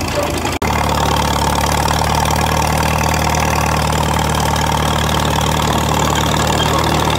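Old diesel catches after a short dropout and settles into a steady, even idle with a deep, uniform beat; runs clean.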